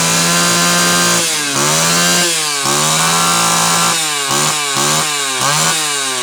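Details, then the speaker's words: Homelite Super XL chainsaw test run after fixing a loose cylinder nut (cylinder gasket issue) and filing and gapping the points. Crisp high two-stroke scream bogs slightly into each cut and recovers cleanly; runs strong and healthy, still being retuned from slightly lean. "that went well okay it's gotta be close we're retuning a saw after you've had a you know event like the cylinder coming loose to where it's probably been slowly gotten out of tune over time"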